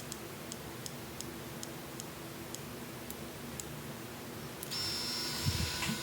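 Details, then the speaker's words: Miniware ES15S electric screwdriver after noise-fix maintenance (cleaning and lubrication), in impact mode: crisp ticks about three a second, then a clean, steady high motor whine with no rattle; normal performance. "Anyways, yeah, that's how your screwdriver should perform."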